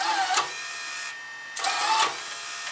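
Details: Fujipla ALM3220/3222/3230 auto-laminator cutter unit, cut button pressed, before loosening the adjustment pulley: two short laboured motor whirs about a second long in a quiet room; cutter drags from an overtight drive wire.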